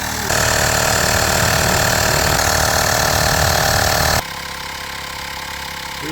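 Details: USB rechargeable air pump inflating the plugged motorcycle rear tire from 0 toward 2.4, reaching 0.5, unit gets very hot: loud steady buzzing drone with a fixed whine for about four seconds, then it drops away; normal running.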